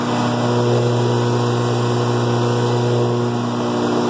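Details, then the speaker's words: Truck PTO-driven HydraChem blower with the truck at 1,000 rpm (about 1,800 blower rpm) and the HydraChem in neutral, bypassing hydraulic fluid. A steady low drone with an even hum and no knocks or grinding: normal blower operation. "so we're still at a thousand rpms the blowers still turning and we allow up to 1,400 rpms for the blower"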